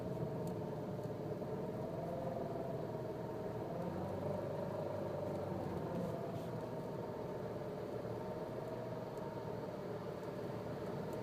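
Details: Nissan Cube, registered December 2005, 7 years 8 months old at 51,000 km, driving: steady mid-pitched whine over road noise that drifts slightly with speed; CVT suddenly began making noise, repair quoted at major cost.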